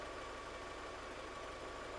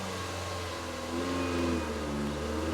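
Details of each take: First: 2002 VW Polo 1.4 petrol that came in with the EPC light on, no power and code P1553, with suspected misfires under load from an injector or coil and a possibly damaged catalyst monolith: a quiet, steady idle with an even hiss and no knocks or misses. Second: 2002 VW Polo 1.4 petrol with EPC light and code P1553, idling with throttle opened: hums at idle and only wavers, never picks up revs, manifold pressure reading atmospheric.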